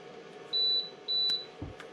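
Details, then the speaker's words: Keurig K-Café milk frother finishing its cycle: two short high beeps about half a second apart over a faint low hum; completion beeps. "let's check on the phone you can see the phone rising up to the top I'm listen for the two beeps and that will tell us that it is done"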